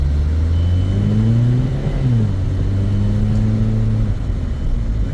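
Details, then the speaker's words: 2010 Mazda 3 with a customer transmission complaint (its transmission control module failed 10 months earlier), on a drive test. The engine pulls and the automatic upshifts cleanly with no flare or slam, so it shifts normally. The front struts are blown and clunk. "the transmission shifts perfectly fine I don't know what they're talking about it shifts absolutely fine"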